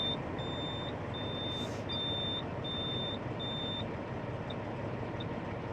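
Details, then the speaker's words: Truck pre-trip inspection (oversized modular building load, winter), engine idling: low air pressure warning buzzer gives five even high beeps about one a second, then cuts out. "You do that by pumping the brakes repeatedly until it bleeds off enough air that you can hear your warning buzzer and see the visual indicator on your dash."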